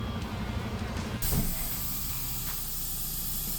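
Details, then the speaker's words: End-dump truck on the highway: a sudden, steady high-pitched air hiss as the air tanks drain faster than the compressor can refill them. The PTO/dump control valve seal has blown. "while I was driving, it sounded like one of the air lines just came off. It just started spitting air."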